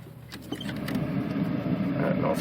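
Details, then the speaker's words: 2004 Pontiac Grand Prix blower motor on a 50°F day; loud steady rushing hum stuck at full speed regardless of setting, even with ignition off; failed blower motor resistor. "the blower motor is now on the blower motor is on Full Speed it doesn't matter what I have the speed set at"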